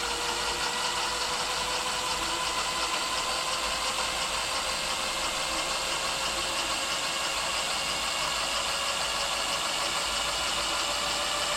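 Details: E-bike hub motor gradually gaining speed after swapping in a new KT 30A controller with parameters set: faint electric whine climbs in pitch, no grinding or clicking; sounds healthy.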